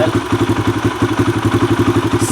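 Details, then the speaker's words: Kawasaki KLX140 four-stroke single after cleaning the pilot jet and possibly raising float height: steady idle thumping about eight times a second, a touch high and hanging before settling; still slightly lean, needs a richer pilot jet. "Starting to settle back down, so it's still a little bit lean. It needs a richer pilot jet, but I think it's running a little bit better now."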